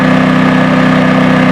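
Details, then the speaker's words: Firman WH03242 4000 W dual-fuel inverter generator carrying an RV's 13,500 BTU air conditioner load: steady, even drone with no surging or hunting; still showing voltage, overload light off, power light green. "the generator is still running and we're waiting for the compressors i didn't really hear a solid click we're going to the generator now it's still showing voltage the overload light is not on"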